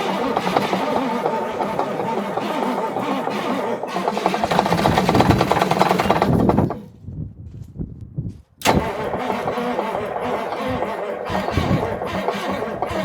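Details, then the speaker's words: Parts-donor semi truck diesel, morning start on batteries: it catches and runs with a steady rough clatter and a brief dip mid-clip, then settles evenly. It doesn't sound half bad; normal start and run. "Well, it doesn't really sound half bad, actually. It does run."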